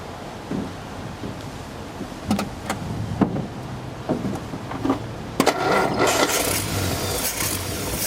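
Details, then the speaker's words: Old positive-ground Nash, recorded from a tripod at the engine in rain: a few cranking clicks, then the engine fires and settles into a steady even idle; runs great. "now is that thing just purr or what I'm so happy it runs great"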